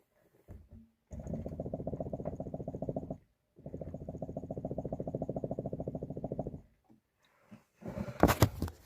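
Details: Lada Vesta on an improvised vibration-stand test: rapid, evenly spaced dull knocks. Front shock absorbers knock over small bumps at low speed; lubricating was tried and did not stop it. Likely the front struts.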